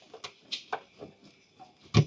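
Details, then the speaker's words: Nissan Murano front suspension bounced after tightening the top strut nut: soft thumps and faint squeaks, the earlier strut click now gone. "Actually, not as much as I expected, but let's see if it makes noise. Look at that. Doesn't make any noise."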